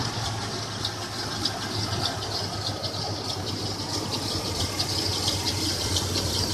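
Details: 1996 Toyota 4Runner idling with a light, fast irregular ticking rattle and a thin high squeal that began about a week ago. The owner suspects the timing chain or water pump area; the cause is unconfirmed.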